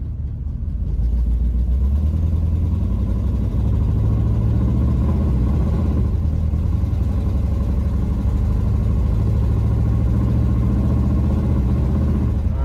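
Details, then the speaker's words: 1984 Camaro Berlinetta V8, straight piped with temporary turndown and no muffler: loud uneven burble, lumpy stumbling beat under steady throttle; owner thinks it isn't firing on all eight, cause unconfirmed. "right definitely I don't think we're firing on all eight"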